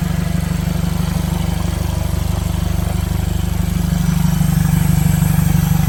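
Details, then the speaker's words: 2015 Mercedes CLA 250 4Matic salvage rebuild idling loud and raw with deep booming pulses because no exhaust is fitted; a vacuum leak is also suspected. "the reason it sounds like this because it doesn't have the dump the exhaust it doesn't have the exhaust"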